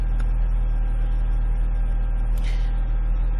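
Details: 2006 Ford Escape Hybrid after no-start repair, high voltage battery charged and reconnected, running during PCM calibration update: steady, smooth low idle hum with no knocks or misses; engine running normally while charging.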